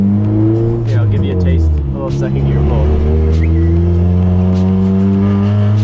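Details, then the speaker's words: Stock Honda Civic being tested with raised boost (around 30 psi tried) while driving. The engine drones pinned at one fixed speed instead of climbing. Launch control, set to 100, was acting without the clutch pressed and limiting revs. "I don't think that's right dude it sounds like it's hitting the launch control"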